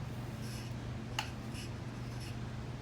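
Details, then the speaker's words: Leading Edge 4820-1 48" commercial ceiling fan, early-to-mid 90s, on speed two of a five-speed wall control: motor hum with recurring high squeaks from totally dry bearings, grease degraded by motor heat. "the parent starts squeaking actually pretty bad now like said they're totally dry"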